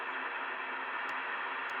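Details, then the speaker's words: Steady static hiss with faint ticks across the 2 m band (144.000–145.990 MHz) on indoor receivers, with signal lights constantly rising and falling and no digital gateways active; strong radio frequency interference noise. "a digital noise now there's no digital gateways on at the moment there's nothing here on the Amer band that is causing this kind of noise and you can see how the lights are are constantly going up and down now"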